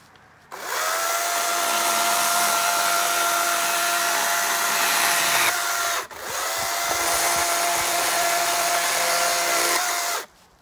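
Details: Battery-powered chainsaw cutting dead tree branches: two steady high-pitched cuts of several seconds each, with a smooth motor whine and little bite; the chain is dull.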